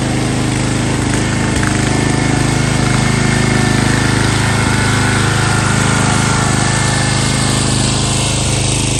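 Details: Found sitting at a boat yard, this MTD Yard Bug riding mower's small single-cylinder engine is on a test start without choke. It runs with a steady, even chug at constant speed, with no misses or knocks, and sounds healthy.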